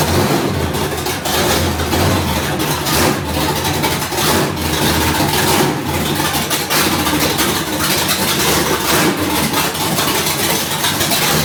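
Idle holds roughly steady but stumbles with uneven pulses and a lumpy beat; the engine is clearly running rough.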